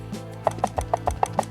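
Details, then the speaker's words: Sony A7 III camera switched off and tilted: light irregular clicks, about six a second, from the unlocked image sensor shifting in its floating mount; the sensor locks when powered on, so this is normal. "When you turn the camera off, the sensor is loose, and that's why it's making this noise. So it's totally normal."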